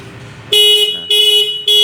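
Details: Kawasaki Ninja 250 FI twin-cylinder motorcycle fitted with a WDA orange touch-sensor anti-theft alarm: loud high electronic wail repeating in short bursts about every half second with gaps, the alarm triggered.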